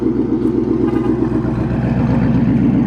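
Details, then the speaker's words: 2013 Mustang GT V8 with a new return-style fuel system, first startup on an E85 tune with some 93 octane still in the tank: it fires right up to a deep, steady idle burble with an even rhythm, no misses or knocks. "All right, here we go. Seems to be idling just fine. Sounds really good. You can smell the E starting to burn."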